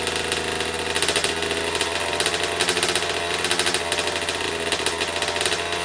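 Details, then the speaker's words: 2009 Kawasaki KX85 two-stroke, first start after a carb clean and reassembly; the wrong fuel ratio is suspected: rapid, ragged crackle with an uneven, hunting beat. It is running rough, and a small known leak is present. "Okay, we got it started. That's a huge win."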